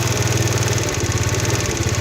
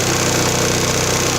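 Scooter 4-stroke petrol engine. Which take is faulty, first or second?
first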